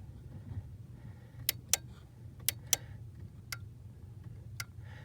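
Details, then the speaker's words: Ford 1998-04 power door lock module, output plug disconnected, input connected: on lock, the relay clicks are weak, some paired and some faint, with no crisp contact, unlike unlock; the lock relay is weak. "Now I'm gonna lock the door and hear the relay. It does not make a good crisp contact where you hear the relay."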